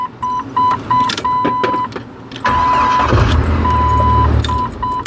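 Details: 1997 Jeep Wrangler no-crank fault traced to wiring and a faulty replacement ignition switch; with the old switch refitted: a chime beeps, then the starter spins the engine at a steady, even rate for about two seconds; cranking normally.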